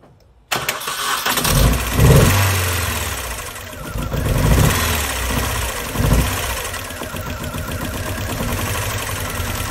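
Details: 2001 Mini Cooper R50, sudden misfire: brief crank, then idle lurching and surging every second or two; cylinder 1 injector gets no pulse and cylinder 1 has no compression, ECU suspected.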